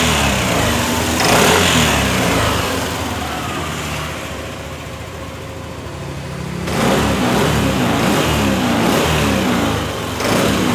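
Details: Yamaha NMAX scooter after repair of the no-start and clearing the ECU fault codes: engine runs smoothly with an even beat, rising and settling with a couple of throttle blips, no knocks or misses. Normal running.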